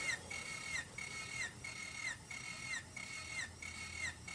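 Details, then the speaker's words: Freshly rebuilt Honda D16ZC (upgraded from D15B7), 9.7:1 compression, never yet run: slow even cranking with regular chuff and starter whine during compression test, also priming oil pump; cylinder 1 reads 175 PSI, good numbers. "okay so it's 175 PSI and remember this is 9.7 inch to one compression it's almost stopped this is good numbers I'm glad to see this actually"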